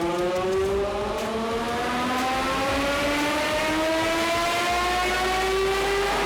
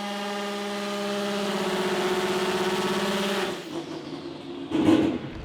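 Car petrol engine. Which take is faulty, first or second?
second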